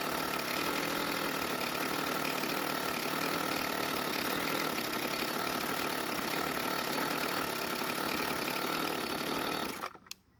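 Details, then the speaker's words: Warm Jonsered two-stroke string trimmer, air filter cover off, idle screw turned about three turns clockwise: steady buzzy engine that never settles into a clean even idle; raising idle speed made no difference, overly rich idle mixture. "well that didn't make any difference so this time i'm going to make adjustments to the carburetor"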